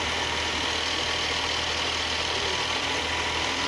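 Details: 2010 BMW X5 E70 with N55 engine idling steadily after a no-crank complaint blamed on the starter: even hum and hiss, no knocks or misses, battery reading about 14.9 V while running; normal idle.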